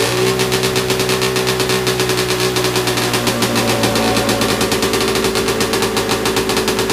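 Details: Big-bore stroker 277 two-stroke engine, first full-throttle run after PTO-side seal fix, around minus 30 outside: flat-out scream holding one steady pitch at about 8800 rpm, roughly 700 short for the pipe; owner suspects clutch setup.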